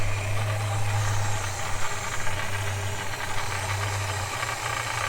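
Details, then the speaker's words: Holden HK just refitted, automatic transmission low on fluid; steady low idle from startup with a light, loose rattle riding over it, the PCV valve chattering. "Rightio, so that rattle you hear, that's the PCP valve down there. So that's the rattle you're hearing there. That's the PCV valve."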